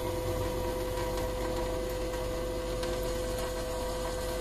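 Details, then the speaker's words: SEAFLO 56A 5-chamber diaphragm variable-speed water pressure pump after bypass valve adjusted with 2 mm Allen key, faucet at very low flow: even unbroken hum, no on-off cycling; pump properly dialed in. "so here we have no cycling at this very low flow it's pretty good pretty dialed in"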